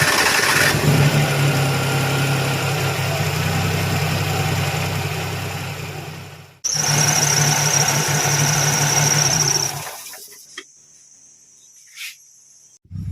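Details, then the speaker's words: Perodua Kancil engine started after replacing the alternator, water pump and compressor belts and adjusting tension, to fix a squeaking belt noise: steady idle, no chirp or squeal from the belts; normal idle. "Dan selepas itu kita akan try hidupkan engine dan cek lah sama dia ada bunyi lagi ataupun tidak lah dekat bagian belting nih. Dan berikut adalah bunyi dia selepas saya hidupkan engine."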